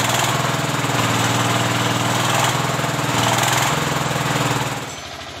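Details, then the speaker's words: S-1100 16 HP single-cylinder diesel that was hard to rev, ran unevenly and sometimes stalled. After service it gives a steady, even, strong thump of about four beats a second, stable and powerful. Normal idle. "memasuki tahap pengujian dan suaranya sudah mulai stabil dan bertenaga."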